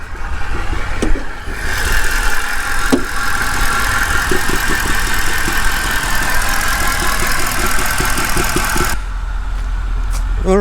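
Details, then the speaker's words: 2008 Mercedes CLK550 V8 bought from Copart, first run after the starter began cranking and with a new filter fitted, idles with an uneven, stumbling beat and irregular low thumps: a misfire at idle. "okay it's it's uh misfiring right now i can hear it's"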